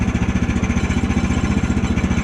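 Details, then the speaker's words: Woodland Mills portable sawmill engine, choke off, throttle pressed slightly on a cold day: raised idle with fast even pulsing and a light rattling ping, the centrifugal clutch chattering without fully engaging the blade, which prematurely wears the clutch. "That's the pinging of the clutch. You don't want to get it idling too high, or you'll have the pinging happen but the blade's not fully engaged, and that's when you prematurely wear out your clutch."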